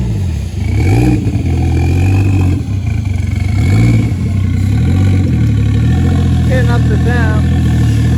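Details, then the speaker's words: Toyota 1JZ-VVTi turbo six with new Tomei BX8280 turbo, engine hot, after idle air control valve fixed: steady low idle between throttle blips, revs settle cleanly; normal idle. "Alrighty, so if you can hear me, I got the idle air control valve sorted. Idles just beautifully now."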